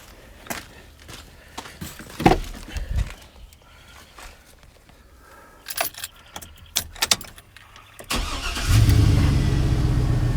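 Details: 2003 Chevrolet Silverado with a no-start fixed by re-seating the side-post battery terminal (add-on amp wiring) for good contact: keys and handling noise, brief crank, it catches at once and settles into a steady, even idle.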